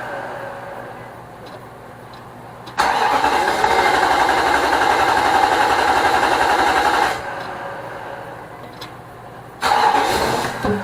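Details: Nissan Armada 5.6 V8 (2006) just swapped into a truck, on its first cold start with fresh fluids. The starter spins briskly for about four seconds with no firing at all, a crank-no-start. The owner suspects the crank sensor after ruling out plugs and connections; the fuel pump is also questioned.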